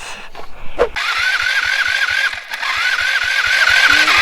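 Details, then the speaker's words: Small engine with CDI ignition cranking: steady pulses about three or four a second, never catches; no spark because ignition wires melted together on the exhaust pipe, CDI box also suspected. "no spark we got bigger problems craters you know i wonder if this little cdi box died or oh that's probably what happened what happened well you melded all these wires together down on the exhaust pipe"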